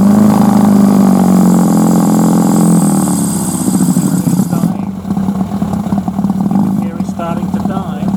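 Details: Suzuki 1100G with Mikuni carbs, warmed up a few minutes: steady idle, then on opening throttle revs sag and engine stumbles and sputters toward stalling; won't accept throttle above idle, vacuum throttle slides suspected, cause unclear.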